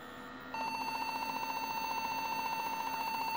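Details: Desktop PC after being knocked hard: continuous, rapidly pulsing high beep at power-on and it will not boot, a memory fault; cleaning the memory sticks with rubbing alcohol fixed it.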